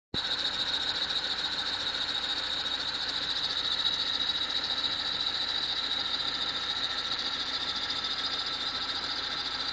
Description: The car only makes this noise when the engine is cold.